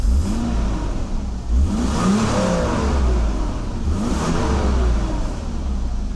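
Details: Mercedes W126 300SEL after reinstalling the fuel distributor plate: two quick blips, revs climb cleanly and drop back to a steady idle with no stumble, miss or knock; engine running healthy.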